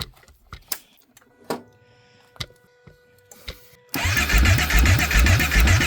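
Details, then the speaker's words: Kawasaki Brute Force 750 ATV: scattered clicks then steady rhythmic cranking about 2.5 beats a second, never fires; spark confirmed and no fuel pump prime heard, so crank no start from no fuel delivery. "We got spark. We have a We have spark. It's not a spark issue like he was thinking. It's a fuel issue."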